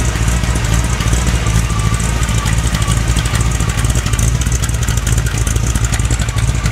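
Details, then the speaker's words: 1957 Chevy 350 V8 with two four-barrel carbs idling after a cold start: deep lumpy idle with steady mechanical chatter from a noisy Pete Jackson gear drive; it runs extremely rich. "by the way i forgot to mention it also has a pete jackson gear drive a real noisy one if you didn't already hear it"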